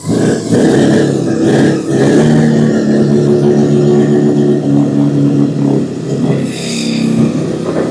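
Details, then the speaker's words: 12A rotary in a 1963 Austin Healey, running after splash of fuel, exhaust warm; owners wonder if fuel pressure too high: uneven, surging rotary buzz like a snowmobile, running roughly and rich — rough running. "almost runs like my old snowmobile. This thing's gonna be wild."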